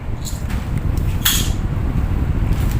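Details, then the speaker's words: Hatari 16-inch electric fan with seized shaft, repaired by replacing the bushing, on speed 3: steady low whoosh of the fan at full speed with a few handling clicks, running free and as strong as before; normal running. "ครับผมกับเบอร์3ครับโอเคครับแรงครับผมแรงเหมือนเดิมนะครับ"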